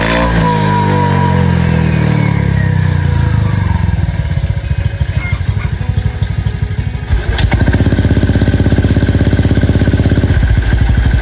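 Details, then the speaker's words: Honda Vario scooter with AHM Malaysia exhaust, previously noisy, after replacing the muffler glasswool packing; revs down and settles into a steady, deep, rounded idle thump, no rattle or rasp, now much quieter and healthy. "Dan untuk karakteristik suara knalpot AHM gue, itu langsung berubah drastis. Goks, sekarang jadi enak banget. Pokoknya suaranya itu jauh lebih adem, lebih ngebas, dan juga bulat banget."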